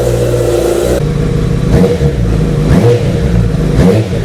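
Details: Honda CBR after cam chain tensioner replacement (it previously buzzed on the engine's right side only at 3000 rpm): engine idles, then takes three clean throttle blips about a second apart, revs rising and falling smoothly; normal running.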